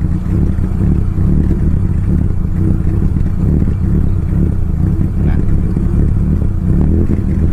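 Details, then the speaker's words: Mitsubishi Lancer CK4 with a damaged air flow sensor, engine still cold: low, uneven idle surging and sagging with no throttle, RPM swinging until it stalls, black exhaust smoke; hunting idle from the faulty air flow sensor. "साथ ही नमस्ते, अब जब इंजन चल रहा है तो आरपीएम इतना स्विंग हो गया है कि शुरुआत में भी इंजन बंद हो गया, निकास से काला धुआं निकला।"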